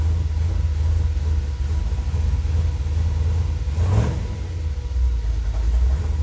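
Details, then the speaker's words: Dodge with Holley Sniper EFI, warmed up to about 185°, after adding ferrite chokes and checking grounds and plugs: after a throttle tap the idle hangs high with a steady drone instead of settling; suspected IAC surging, cause unknown. "i figured i'd break out the camera to show you guys man i just tapped the gas and it stuck open"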